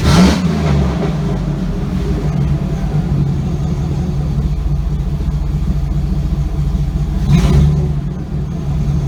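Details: Chevy Avalanche with LQ4 6.0L V8 swap, muffler off with pipe hanging: deep open-pipe burble rising cleanly on a couple of blips, settling to smooth idle; engine sounds healthy.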